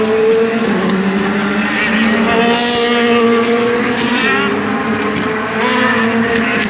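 Loud V8 held at high revs with a ragged, uneven edge and stumbling pulses in the note, pointing to a misfire, cause unknown.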